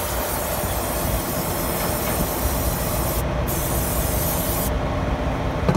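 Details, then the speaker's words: Kenworth T680 with Cummins diesel running: constant rushing hiss over low rumble from busted fuel line; fitting's O-ring likely failed; line being replaced. "there's a little there's a little bow ring on those fittings they tighten on and then it tightens up and they they fail all the time"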